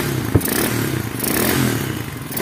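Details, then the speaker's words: Motorcycle engine running with a loose, uneven clattering 'traca traca' knock and heavy thuds riding over it, caused by a completely loose clutch basket nut. "el gran problema cuando un motor tiene un golpeteo todo raro le hace traca traca placa más que todo parece matraca y este es el gran problema la tuerca de la canasta digamos de la prensa floja totalmente"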